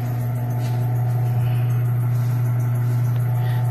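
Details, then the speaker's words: Automatic washing machine after replacing broken suspension and repairing rusted body, tub now level: steady low hum of the spinning drum, smooth with no banging or knocking; spin dry now runs straight through after repair. "Nakapag-spin dry siya ng diretso, hindi na kumakalabog."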